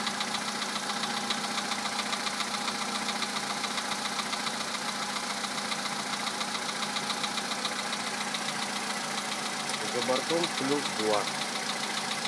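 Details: VW Polo sedan 2011, 64,000 km, Liqui Moly Molygen 5W-40 changed 200 km ago, 98 petrol: light, regular knock three to four per second over unloaded cold idle; source undetermined.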